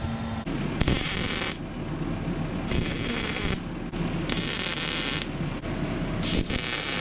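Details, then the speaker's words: Test run of a Jer Schmidt-design belt grinder, freshly welded and running on a used motor, not yet ready to grind: motor whir under a hissing belt rush that swells and eases about every second, belt tracking properly, normal running. "Do a little test run. It's not ready to grind really, but it's running. Got the belt tracking properly."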